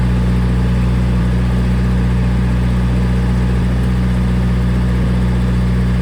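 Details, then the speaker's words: Old gas-powered Hobart engine-driven welder: deep, steady engine drone holding constant speed under welding load, no knocks or misses. Runs well. "We've got fuel pressure, it sounds like. Give it a little bit of fuel. Look at that. Like I said, it runs good."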